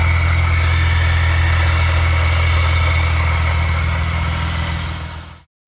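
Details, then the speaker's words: Supercharged Acura TL at idle: steady idle with a faint rough grind and thin whine from the supercharger rotor area, worn blower internals; supercharger removed for rebuild to avoid seizure or further damage. "It's making like a little grinding noise in there where the rotors are. Now, if I let this go unchecked, it could get worse and it could either seize up or cause a lot more damage."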